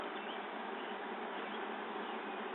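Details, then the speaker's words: 1985 Fleetwood Pace Arrow V29 RV on household AC, water pump switched on: steady buzzing drone holding even pitch nearly three seconds, then cutting off; pump pressurizing normally. "I'll turn on the water 's on yeah I can hear the pump thank you bump stopped"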